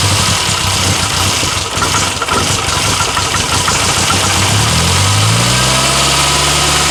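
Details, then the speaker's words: 1962 Austin Healey Sprite Mk2 with the 948cc engine, first start in over 40 years: it runs loud, with lumpy, irregular firing and revs wandering up and down; it never settles into a steady idle. "Holy This doesn't quite want to idle, but Woo!"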